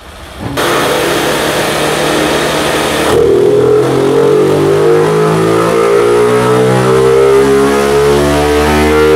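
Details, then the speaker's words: Honda CG/Titan 160 single with performance camshaft, revving: rising note with busy mechanical valvetrain clatter over the exhaust; acceptable for a tuned engine but the customer wants it quieter, new launch cam to be tried. "é galera tá fazendo barulho mas dentro da preparação esse barulho é aceitável mas é um cliente que não quer esse barulho"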